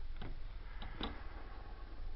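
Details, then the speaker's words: Mariner 2 hp outboard that is running poorly, turned slowly by hand: a few light, dry ticks from a worn, iffy crankshaft bearing; any play may damage the seal and cause leaks. "bearing's a bit iffy you can hear it"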